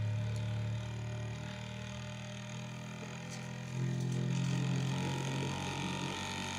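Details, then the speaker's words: Bambu Lab A1 Mini Combo 3D printer, first setup calibration: steady low toolhead hum during the mechanical resonance vibration test, stepping up in pitch from 66 Hz to 197 Hz; normal resonance calibration, nothing rattling. "It's vibrating so fast. You can't even see the head moving, but is vibrating. It's going at 66 hertz. That's fast. It's now up at 197 hertz."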